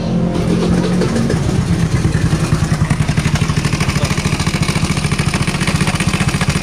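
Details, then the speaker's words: Honda Vario 130cc carbureted scooter, recently rebuilt engine, running: rough, heavy, loose clatter in time with the engine, from the crankcase area; camshaft bearing failure. "ya kayak gitu suaranya tadi sih kayak kayak suara CPT coplok gitu ya suaranya pokoknya kayak gitu jadi Kasar banget sekarang bunyinya parah"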